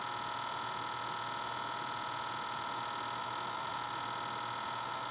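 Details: Trane outdoor HVAC unit restarted during service: steady electrical buzz with a faint rapid rattle as the contactor chatters.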